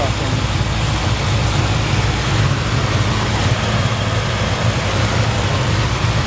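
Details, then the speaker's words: 1954 Ford F-100, hot rod restored, 302 V8 with automatic transmission, heard under the hood: deep, even idle rumble with steady beat and no misses, knocks or ticks; runs perfect. "custom done nice and clean under the hood you can hear the engine runs perfect"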